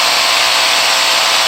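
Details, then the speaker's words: Makita GA5010Z 120V 10.5A angle grinder running: a harsh, gritty whirr and vibration over the motor hum, heating quickly; diagnosed as a worn bearing at the very back of the motor. "yep we have a issue with a bearing at the very back of the motor yeah we out bearing and that's what caus in our grinder not to run properly"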